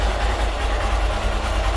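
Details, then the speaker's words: Hero Xpulse 200 after draining water from the tank and entire fuel system: steady, deep idle without stumbling; previously the engine died when the throttle was opened, now normal running. "so the bike starts up and earlier i was having the problem as soon as i cracked the throttle open the engine died and now it's no longer the issue"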